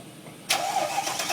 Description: Everytime I start the engine regardless if cold or hot tends to make this Rattling noise for a good minute or two then goes away..any suggestions?